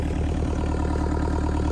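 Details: Six-and-a-half-ton digger that stopped suddenly three weeks earlier, after turning a flat-spotted shaft 180 degrees: steady, even diesel idle with a regular low beat, no knocks or misses; running smoothly.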